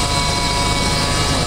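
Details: Ford 4.2L six in a truck, engine running: a steady whirring whine and bearing hum over the idle from a serpentine belt idler pulley bearing going out; the noisy idlers were replaced.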